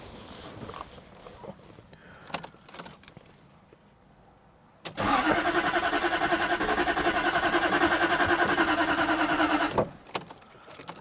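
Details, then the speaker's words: 2001 Jaguar XK8 coupe unable to start for 10 years, with booster: about five seconds of brisk, even strong cranking, never fires; cranks but won't start, cause suspected (bad earths, battery), not confirmed. "No, I mean you can hear how much it's flicking over."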